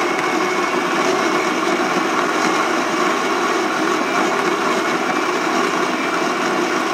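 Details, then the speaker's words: Espressione Supremma super-automatic espresso machine with ceramic grinder, brewing a single 40 ml shot with 8 g dose: steady, even whirring grind with no knocks or rattles; normal grinder operation. "little clock there tells you that it's functioning it's in the process of Brewing you hear the grinder"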